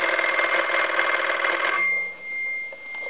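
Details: German Post Office telephone after its touch-tone conversion and repair, testing the newly added bell on/off rocker switch: a rapid, even bell trill for nearly two seconds that stops cleanly; the ringer works normally.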